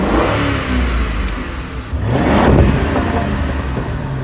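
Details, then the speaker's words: Wrecked Ford Crown Victoria Police Interceptor, 4.6-liter V8, mileage unreadable, revved with the hood open: a deep, even rumble climbs cleanly on a throttle blip and drops back smoothly, with no knocks or misses. Normal revving. "Oh, it's your average 4.6 liter V8. Very nice sounding engine. Let's step on it a little bit."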